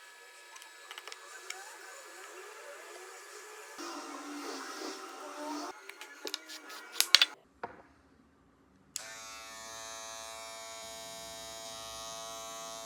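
: A short bit of handling, then the motor settles into an even, steady buzz with no rattle, a smooth healthy run.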